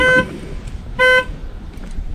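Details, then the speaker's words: 1999 Camaro SS, 146,000 miles, new battery just installed: two sharp horn blasts about a second apart over quiet street background; the alarm sounds and works. "guess the alarm works that's good"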